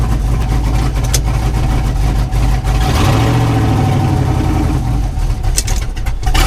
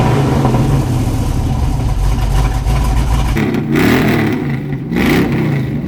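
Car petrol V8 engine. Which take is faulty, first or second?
first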